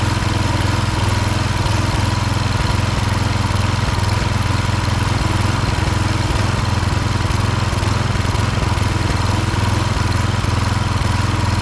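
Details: Husqvarna HU 625HWT string trimmer, a non-runner, after an oil change filled to the max mark, brought outside to run: small four-stroke holds a steady, even buzz with no misses or hunting, burning oil off the muffler; running normally.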